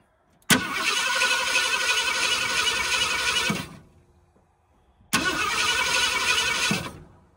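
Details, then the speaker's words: 1978 Ford Bronco Ranger XLT 400, sitting 20+ years: two three-second bursts of steady, even cranking at about four turns per second without catching; spark is confirmed and the owner suspects the ignition timing is off; crank, no start. "It is sparking, which is a good thing, but based on the way it's cranking, I'm thinking timing might be off."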